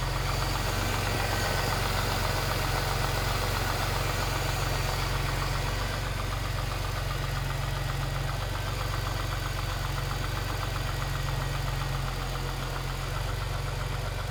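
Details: Jaguar S-Type 3.0: at idle a fast, fairly regular light rattle about four per second rides over the engine; caused by a loose timing chain.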